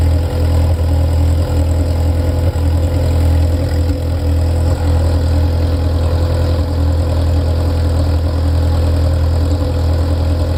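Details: Ferrari F355 engine after the front-of-engine noise heard from tens of seconds after start has stopped: smooth, steady low drone with no knocks, ticks or hunting; idle even and stable.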